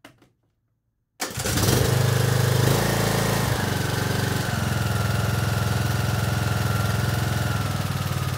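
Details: Briggs & Stratton 17.5 HP mower engine after cleaning the carburetor to cure surging: starts after a second of silence and settles into a smooth, even run without surging.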